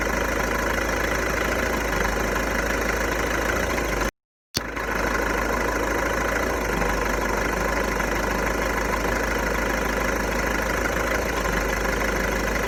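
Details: VW Golf 1.6 TDI diesel, 90,000 km, idling with a loose, uneven light rattle over the engine note; owner suspects the dual-mass flywheel, not confirmed.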